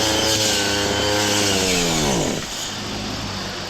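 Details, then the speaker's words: Lawn mower while cutting grass, throttle pulled fully open: high revving drone sags and dies after about two seconds. Spark plug checked fine, restarts immediately; owner suspects fuel-system clog, not yet fixed. Stalling under full throttle. "sau đó tôi kéo ga hết cỡ"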